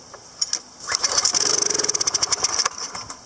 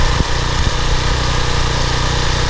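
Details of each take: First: PowerFlow Technology+ 3000 psi pressure washer, Briggs & Stratton 190 cc engine, unused over a year, suspected dried ethanol gas, with carburetor cleaner sprayed in: catches about two seconds in sharp pops, then stutters and dies; bowl screw jet later found clogged, choke occasionally sticking. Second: PowerFlow+ pressure washer, Briggs & Stratton 190cc, 3000 psi, after cleaning a clogged carburetor bowl-screw jet and dried gas from over a year of sitting: loud, even single-cylinder thrum at steady speed, no misses; runs healthy.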